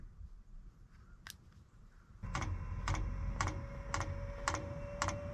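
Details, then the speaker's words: Webasto Air Top 2000 STC gasoline 12 V heater for an E-350 Econoline van, bench-tested on a battery before mounting: even ticks about twice a second over a faint fan hum. Normal fuel dosing pump at startup, no leaks found. "So you can hear the fuel pump."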